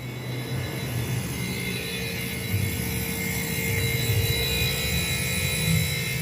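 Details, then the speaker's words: DF51 household refrigerator, heard from behind after compressor replacement with correct refrigerant charge: constant loud drone with a steady mid-pitched hum like a four-door commercial display cooler; wrong compressor fitted, still cooling but far too noisy. "Vocês conhecem o barulho que faz um expositor aquele de quatro porta aquele barulho bem gigantesco que faz é o que tá fazendo essa geladeira"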